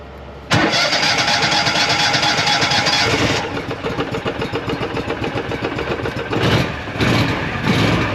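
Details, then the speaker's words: Argo Avenger EFI after replacing the failed fuel pump and filter: short crank, catches right away, settles into a steady, even idle with no misses; normal start, running properly. "so I'm gonna do one more test up front make sure that this is running properly let's get up here and reach over the top yep I can hear it"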